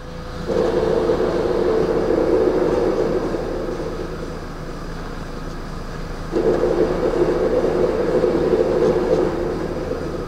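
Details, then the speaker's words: VW Polo driving with windows closed: a steady mid-pitched hum swells, fades off the pedal, then returns strongly; worn gearbox bearing with play suspected, or the clutch, to be checked with the gearbox removed. "e esse é o barulho pessoal vamos lá e Eu espero que você tenha escutado aí esse é o barulho do Polo"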